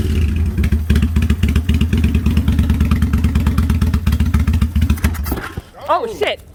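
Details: Kawasaki Vulcan 800 first start attempt, with starting fluid sprayed and fuel petcock set to prime: engine chugs and pops unevenly about three times a second fighting to catch, then a sharp backfire; it caught fire.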